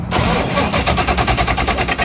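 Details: Ford GT40, stored over 20 years, on its second start after a dead battery. The starter churns rapidly and freely but the engine never fires, with fuel pressure reading max. Whether a TPS reset matters is doubted; the cause is unconfirmed.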